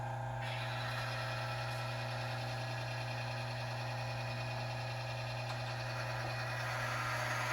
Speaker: we're going to run it and you'll hear the noise it'll be loud at first and then once it starts to create a flat spot you'll hear the noise go away and it's pretty obvious